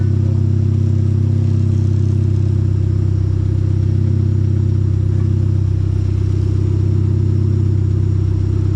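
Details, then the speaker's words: Hyundai Genesis Coupe at idle and rising revs, deep steady exhaust rumble with a quick puffing pulse; exhaust leak at the top flange gasket, which visibly moves and can be felt by hand; plan to loosen bolts and bring the flange down. "can you see the gasket move put your hand under there you can feel it oh yeah"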